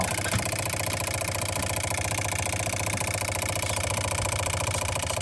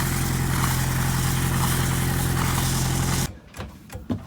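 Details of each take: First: Boat diesel idling after the fuel line air leak was fixed and the system purged through the return line: steady, even clatter with no hunting or stumbling, ran over 20 minutes without a hiccup, then a clean wind-down at shutoff. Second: Boat diesel after bleeding the fuel system: steady rumble for three seconds, then it dies abruptly with no sputter; still stalls from air leaking into the fuel supply line, owner to bleed again.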